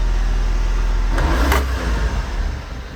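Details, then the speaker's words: 1994 Honda Acty HA4 kei truck engine stumbling and dying at full throttle, a low uneven rumble that surges then sags; caused by an ignition key cylinder not springing back, so slight tension toward off restores power and the blower motor. "my foot is pegged but you can hear that it's dying it really does not want to run right now and in fact it's basically dying"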